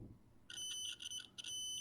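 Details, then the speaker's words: Adafruit Feather M0 Bluefruit with soldered header pins in a breadboard, continuity test: high piercing beep drops out briefly then holds solid; pins seat deep enough in breadboard for good contact. "works that works okay there this means that all of these pins on the board are going deep enough to be able to work with them through the breadboard which is good"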